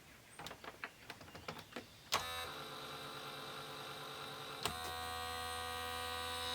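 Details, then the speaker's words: Sony SLV-676UC VHS VCR (made in Japan), first power-up on line out: string of small clicks and ticks, then steady motor whir restarting with a clunk as the transport cycles without loading; no picture or volume, apparently not detecting the tape. "Okay, we do not have a picture or any volume. I did hear it briefly. And I think we have a problem with it not seeing the tape, the movie in it."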